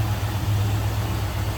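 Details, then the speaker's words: 1971 Ford F100 long box, 302 V8 with automatic, at warm idle: even steady low rumble with no knocks, ticks or misses; smooth-running, healthy engine. "smooth running engine though sounds good"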